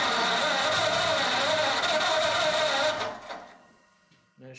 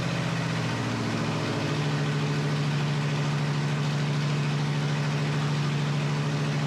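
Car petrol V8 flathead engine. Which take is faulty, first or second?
first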